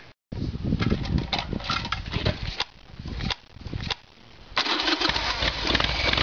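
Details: Evolution Sportster with an intermittent faulty petcock that starved the carburetor and caused backfiring, fuel tap switched to reserve: engine catches after a couple of tries and settles into an uneven, loping V-twin beat that keeps running; fuel now reaching it.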